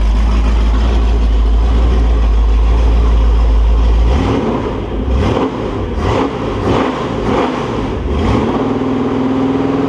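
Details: Holden 355 stroker V8 for an HQ Holden on a test stand (flat-top pistons, Sig Erson TQ30 cam, HEI, Edelbrock carb, Aeroflow single-plane manifold, 9.5:1 compression, cam bedding-in): starts, revs cleanly, settles to an even idle; no leaks, healthy.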